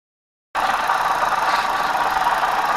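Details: 2009 Hyundai i20 petrol, at idle, before water pump replacement: constant gritty whirring whine over the idle that does not change; worn water pump bearing, not camshaft, timing belt, oil pump or tappets, as the noise travels around the block.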